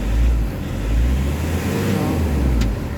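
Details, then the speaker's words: Nissan Urvan Premium, low power, after XADO engine treatment, engine held at 1,500 rpm: deep, even drone with no hiss or flutter, smoother and less erratic than before treatment when it sounded leaky; normal running at raised idle. "Tsaka kung papakiramdaman mo yung engine RPM, medyo smooth na yung under ng engine, hindi na gaano nagwa-wild."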